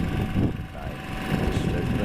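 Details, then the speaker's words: 7 kVA generator in economy mode driving one heater element at about 593 W, heard from the street over 9 m away: steady loud engine drone, about 72 dB against its 59 dB rating at 4 m; excessively noisy. "generous say 72 DV at 9 M away that's a far cry from their 59 DV noise rating"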